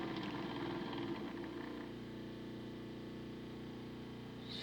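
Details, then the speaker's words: Small motor in a homemade DCC decoder tester, drawing about 0.5 A at 25% and over 1 A at 50%: rough, wavering whir with a rising whine and arcing inside; motor likely cooked, probably why decoders were frying. "oh jeez it dropped man that motor sounds terrible oh she's arcing inside"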